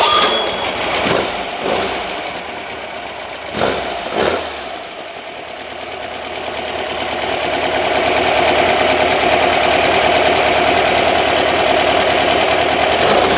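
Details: Rebuilt, upgraded air-cooled engine in a 1970 VW Single Cab truck with a 5.5 lb balanced pulley, started still a little cold; cranking bursts, then it fires and settles into a smooth, even idle with no knocks. Healthy running.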